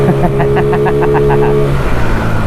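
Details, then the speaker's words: GY6-type Chinese gas scooter with new belt and modified RPM band, dead-stop takeoff: engine snaps up to a high, steady buzzing rev then eases off; much higher RPM than stock, healthy and free-revving. "it definitely has a lot higher RPM definitely definitely wow this this scooter is totally different now with this Power Band just kind of running like a little two-stroke"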